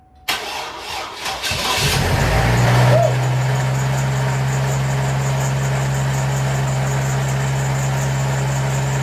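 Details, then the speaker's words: First start after an engine swap; brief crank, catches within about two seconds and settles into a smooth, quiet, even idle with no knocks or misses; normal start and idle. "signs got her running yall ain't got to find tools or things but for now I'll take it you running dude you hear that sound let oh wa it's quiet down"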